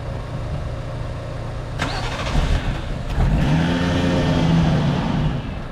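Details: 1JZ-swapped Lexus SC300, second day of no-start, jump-started after cleaning: starter grinds, engine catches briefly, revs unevenly and won't settle to idle; owner suspects a sensor/valve clogged open.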